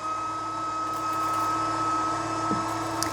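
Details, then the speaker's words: Litter-Robot 3 self-cleaning litter box, cycle triggered by opening the tray: steady mid-pitched motor drone with light litter rustle as clean litter returns; drum running smoothly, normal cleaning cycle. "So, see, all the clean litter's coming back through there, look."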